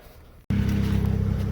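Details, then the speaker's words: BMW 335is (N54, JB4/MHD tuned): after the belt was tightened rather than replaced, the engine idles with a steady, even hum and no squeal or chirp. Only loud injector ticking remains, and the oil has been topped up. "so i don't hear the squeaking anymore just be loud injectors and i also just put oil in it and we're all good on oil"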